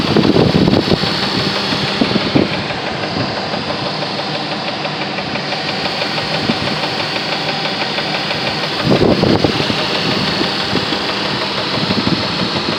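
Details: 1999 Jeep Grand Cherokee Laredo, loud idling engine with an uneven, rapid knocking throughout at steady speed; knock present, cause undetermined.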